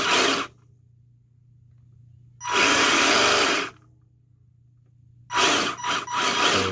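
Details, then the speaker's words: Secondhand 1/10 RC car after the speed controller was set to LiPo mode and forward/reverse with smart brake: short throttle bursts with a clean electric whine, rising and cutting off sharply, no grinding. Motor and steering now work normally. "goes forward everything turns now everything's working"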